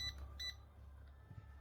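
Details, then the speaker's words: Yamasu laser level after cleaning its sticky buttons, which had caused constant error beeping: two short, clean high beeps as the beam lock engages, with no error when the unit is tilted. Normal beam-lock confirmation. "Tít này khóa tia này mình có nhấc nghiêng lên thì nó không hề báo lỗi nhá"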